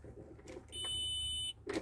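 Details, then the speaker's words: Harvester with base-cutter service light on (blade-changing/maintenance): start attempt gives a short shrill buzz over faint hum, engine start blocked by safety interlock because service light active; start interlock warning buzzer. "a partida do bloco do motor impossível da partida do motor Porque a luz de serviço e o que a luz de serviço do Cortador de base está ativa"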